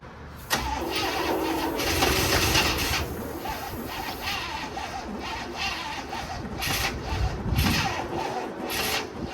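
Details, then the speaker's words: 1967 Cadillac Calais, sat 27 years, cranking after spark plugs cleaned and gapped, battery on charger: labored slow cranking about four turns a second, never catches; spark present, starter spinning too slowly; owners suspect plugged exhaust, unconfirmed. "well we tried getting this thing running for quite some time it's just not spinning over fast enough"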